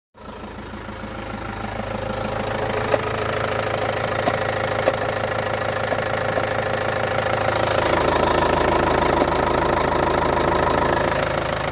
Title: Opel 2.5 cdti strange noise ,fully rebuid engine 10k km back